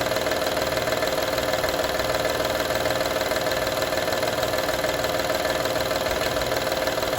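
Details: 2012 Honda Odyssey engine at steady idle: light, fairly regular metallic rattle, about two a second, over the engine; engine rattle at idle, source not pinned down.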